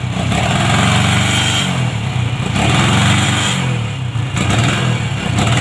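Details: Honda MegaPro modified CB-style, kick-started (kick kicks back), dies when throttled: revs rise then stutter and drop in repeated surges; ignition cutting out.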